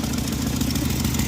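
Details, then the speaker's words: Jeep with check engine light on, flashing under throttle: uneven lumpy idle with stumbling low pulse and shake, sounds like exhaust leak but a dead cylinder; cause later found to be a fried PCM. "We've got a dead hole somewhere. The check engine light is on, and if you give it gas and drive it, it starts flashing. Here's the engine doing the shimmy and the shake."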